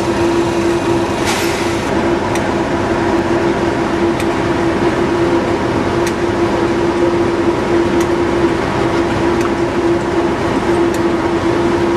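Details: British Rail Class 37 diesel locomotive at Bury Station: sharp clicks about once a second over a steady diesel drone and constant hum; normal clicking from the Spyrax valve.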